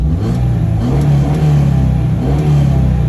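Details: 1971 Honda 1300 Coupe 9S, air-cooled 1300 with four carbs and dry sump, first start in 7 years after ignition cleanup, carb rebuild and fluid change: low, even drone with gentle throttle blips, no misfire or rattle; runs healthy with good oil pressure.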